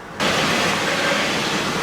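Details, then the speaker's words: Chevy Astro van with a low brake pedal and the brake light on; shifting from neutral into drive brings a loud, steady grinding from one wheel, which feels like it is dragging and being held from rolling, likely stuck in the rear brake. "So you can hear something grinding. Coming from this wheel."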